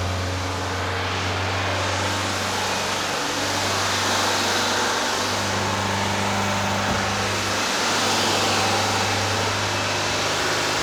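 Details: Rebuilt Porsche 912 air-cooled flat-four in a 911: fast, slightly harsh idle with steady drone; runs a little smoky, possible oil leak; over 35 degrees advance seen at only 2500–3000 rpm; over-advanced ignition timing.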